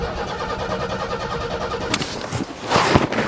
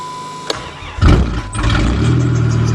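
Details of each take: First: Car not started since April, cold snowy December start: steady rapid cranking with no firing, then a few clunks, because the coil wire was left disconnected; it starts once the wire is refitted. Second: Snowy December cold start of vehicle unstarted since June: brief cranking, catches within a second, settles to steady, even idle; healthy cold start.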